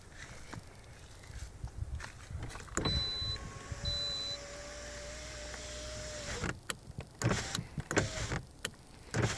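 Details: Lada Vesta driver's power window: motor hums steadily, then sharp loose knocks and clatter as the glass closes; cause was a poorly tightened glass-to-slider mount, fixed by adjusting and tightening.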